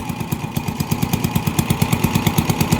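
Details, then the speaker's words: Honda TMX 155 motorcycle with hard starting and misfire, worse uphill, no acceleration; owner already replaced CDI without fixing it; uneven stumbling single-cylinder beat with missed firings, cause found to be faulty spark plug. "So number one na problem niya yyung spark plug talaga guys. Tx 155. So walang arangkada walang birit. So pagbitan siya pumapalya."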